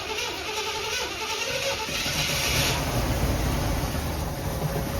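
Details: Early-80s Chevrolet Monte Carlo parked 10 or more years, with varnished old gas: a churning crank that catches after a couple of seconds into a fast, lumpy run, firing only on fuel poured into the carburettor.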